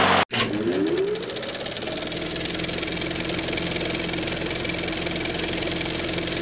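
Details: 6.5 hp Briggs & Stratton on a Toro self-propelled mower, after replacing the flywheel key sheared by hitting a rock: catches right away and runs steady and even with no misses or knocks; healthy.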